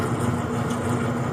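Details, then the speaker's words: Brower seed/feed mixer with Ajax 3-phase 208/230/460 V motor running on 220 V single-phase through a phase converter: even steady low hum, no knocks, rattles or pitch changes; normal motor hum. "The unit just hums right along with no irregular noises."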